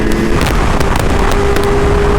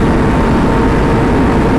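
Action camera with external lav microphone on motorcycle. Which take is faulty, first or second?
first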